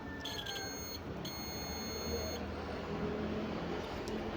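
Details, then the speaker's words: Multimeter on buzzer/diode mode testing a desktop monitor's adapter cable, with no voltage at the monitor, after opening the adapter: two clear high beeps show continuity, so this conductor is intact. The cable proved good, and a faulty capacitor inside the adapter was found. "Jadi kalau dia putus berarti tidak ada suaranya. Satu kita tempelkan di kutub sini, dan yang satu kita tes di dalam. Ada ya. Jadi kaki satu ini masih bagus."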